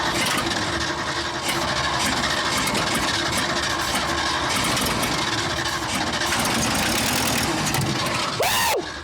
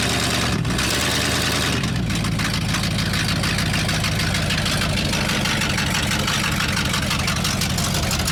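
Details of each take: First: Abandoned 1979 Ford F-350 dually, long off the road, on a first start attempt after starter work; rapid cranking with sharp pops spitting back through the carburetor and a fire breaking out before it cuts out: carburetor backfire during cranking. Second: Abandoned 1979 Ford F-350 dually, about 45 years old and long off the road, running on its own; deep, even V8 burble with a steady loping beat and no misses: normal idle.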